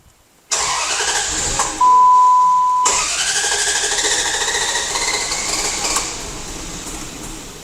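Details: 2004/2005 Dodge Dakota with a poor-quality idle after many parts replaced: cranks, catches, then settles into an uneven, unsteady idle. There is no vacuum and huge fuel-trim corrections, from an EGR valve stuck open.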